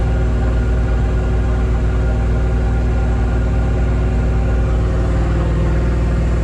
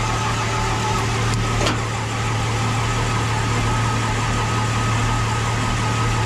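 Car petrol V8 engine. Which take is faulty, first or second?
second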